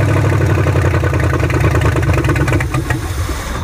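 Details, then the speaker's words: Ford Maverick project car converted to junkyard EFI, first start with fuel pump issues: engine fires, runs rough and uneven a few seconds then dies; engine stalls after starting, cause unknown. "all right sound like a truck though but uh i don't know why i didn't run for long"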